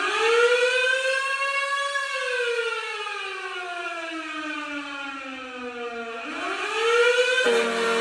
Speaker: the correct answer is three the firehouse siren the firehouse siren is a siren on top of the firehouse